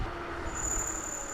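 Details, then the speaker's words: Electric scooter at about 27 mph, past half battery: a thin, steady high-pitched squeal from the front brake over wind and road rumble. "I'm getting a little bit of squeak out of the brakes. I don't like that."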